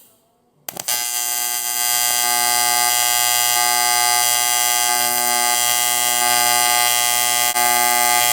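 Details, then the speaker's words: Arccaptain T200P TIG welder, pulsed AC on aluminum, about 160 and 120 settings, pedal wide open: steady high buzz pulsing about three times a second, pitch dipping (cooler, move) and rising (hot, add filler rod); normal pulsed arc. "When it's the lower pitch and it's cooler, that's when you move, and then when it's going to be heating up, that's when you throw in a fill rod."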